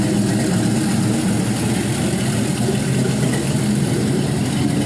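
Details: 6.0L LY6 gen 4 LS with 706 heads, a 220/224 .575 lift cam, stiffer springs and new lifters, idling on the run stand: steady, quiet idle with only a faint light valvetrain tick from the cam; healthy, normal.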